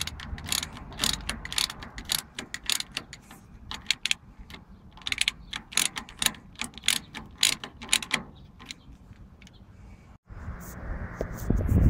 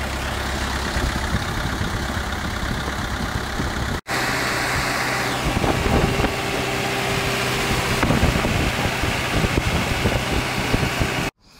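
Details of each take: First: CAT/Perkins 3054C diesel on a wood chipper, unrun three years, after filter and fluid change; battery cables badly corroded, battery flat: sharp clicks about twice a second for ten seconds with no cranking; starter fails to turn the engine over. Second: CAT/Perkins 3054C diesel on a wood chipper, unrun three years, idling after cold start following filter, fluid and corroded battery cable replacement, later found a couple of quarts low on oil: rough rattle settling to a steady idle with brief dropouts; runs evenly, normal.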